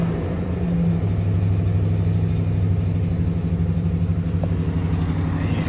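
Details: 2004 Nissan Titan V8, previously crank-no-start, after fuel tank removal and refit: steady, even low rumble with no misses, knocks or hunting; normal, healthy idle.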